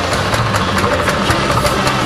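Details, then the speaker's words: Sears Roper mini bike with small single-cylinder engine, cold start on choke, kill switch unplugged to allow starting: putters fast and slightly uneven, but it runs. "Cold start, so the choke is on. At least it runs, I think."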